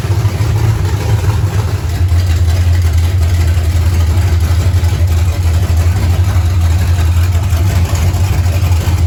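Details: 1935 Chevrolet coupe with blown big-block V8, just started after carb synchronization, rough timing set and fuel system pre-bled; deep, even V8 rumble holding steady at idle with no misses or knocks: normal idle.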